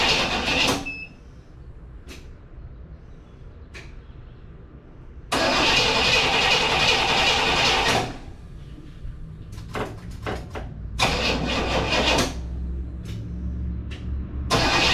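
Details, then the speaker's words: 1967 Cadillac Coupe DeVille stored about a year, cranked with a jump pack: repeated bursts of steady starter cranking with quiet gaps and no catch, as fuel has not yet reached the carburetor. "all right let's see it takes a little bit for gas to get up to the car another round"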